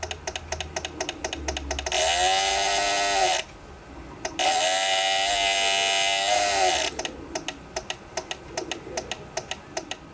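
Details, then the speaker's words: PWM solar charge controller fed about 16.5 V or more from the panel: sharp relay clicks two to three a second with gaps as it cuts off power on input overvoltage; lower voltage, no clicking. "so if your solar panel gives too much voltage, it cuts off power and it's making that noise. Lower voltage, no clicking sound. Higher voltage, clicking sound."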